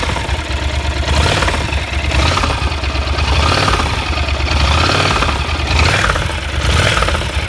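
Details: Yamaha TDM (4TX) twin idling and revving: a dull knock under the exhaust that follows engine speed; connecting rod (big-end) bearings are failed.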